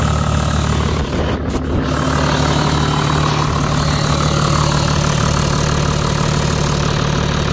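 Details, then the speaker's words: 20-year-old Toyota Land Cruiser 100 series, 4.2 L 1HD-FTE turbo diesel, idling after start, smoking heavily for the first minutes: loud clatter with an occasional stumbling misfire and rough idle; fuel injection pump suspected, not confirmed. "still got the occasional misfire there it's still running a little rough"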